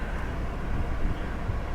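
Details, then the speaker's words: Hail-damaged flex-fuel (E85) car with changed oil: low, even rumble with no misses, knocks or ticks; it runs good and goes right into gear, both forward and reverse. "Yeah, she runs good. Yeah, right into gear."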